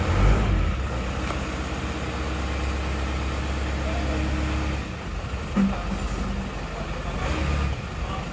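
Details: Diesel engine after cylinder head repair (defective head let compression into radiator, coolant bubbling, low and overheating), first start, no thermostat fitted: steady, even idle clatter, no misses, knocks or hunting; normal idle.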